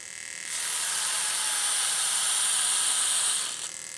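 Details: Another fuel injector on a home bench test kit, tested because cut O-rings are suspected as the motor's issue. Sharp spray hiss with quick, fairly even clicking about four per second; opens and sprays normally. Normal pulsing.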